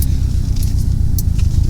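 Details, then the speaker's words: 2015-2021 Subaru WRX STi on the road after FatMat sound deadener was fitted to all doors: steady low road rumble at cruise with only faint light ticks, likely the child car seat; door rattles gone. "But I've been driving it around, and I cannot believe how big of a difference that actually made as far as rattling goes."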